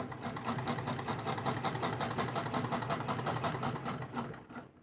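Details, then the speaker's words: 1895 Singer Model 28 hand-crank sewing machine, 127 years old; quick even clatter, about 167 stitches a minute, no binding or skipped stitches, train-like sound; sews smoothly. "I just love the sound of this machine. It sounds like a train. You can go as fast as you want with this thing. It does not skip a stitch, or you can go as slow as you want."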